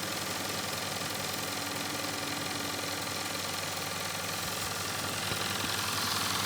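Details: Nevadent water jet flosser (Lidl) on jet setting, emptying a full 130 ml tank in about 50-odd seconds: fast, steady pulsing buzz, about three to four pulses a second, even throughout; pump running normally.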